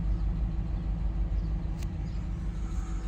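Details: 2012 Dodge Ram 1500 with freshly rebuilt Hemi, temperatures normal, driving in 81°F heat: low, uneven rumble with an irregular lope of about three beats a second under road noise; persistent cylinder 6 misfire code, cause unknown.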